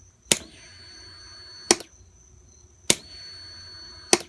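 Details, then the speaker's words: 2003 Kawasaki ZX6R 636cc, 15,000 miles, battery at 12.15 V, fuel pump runs, fuses good: pressing start gives sharp dry clicks with no cranking; earlier slow cranking when warm; owner suspects battery, solenoid or starter. "can hear the fuel pump run fine but when I click the start button just get a clicking noise"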